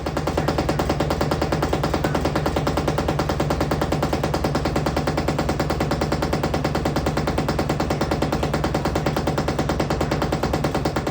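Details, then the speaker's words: LG WM3370HVA washing machine with worn shock absorbers, recorded before replacement: heavy, steady thumping about twice a second as the drum bangs against the cabinet during spin, shaking as if the load were uneven. "Well, here we have an LG washing machine. It's been making a lot of rackets."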